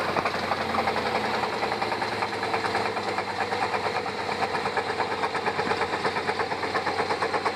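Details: 1996 Chevy Tahoe V8 running with a steady deep knock about three times a second: rod knock.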